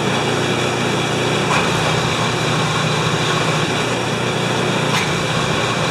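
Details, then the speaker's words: Mastercraft MTD snowblower after a new drive/auger belt: small engine holds a steady, even buzz with no surging, knocking or belt squeal; belt turns with the idler wheel and augers stop when the belt stops; normal running. "First, you're going to see the belt turning with this idler wheel, and then when the belt stops turning, the augers stop turning."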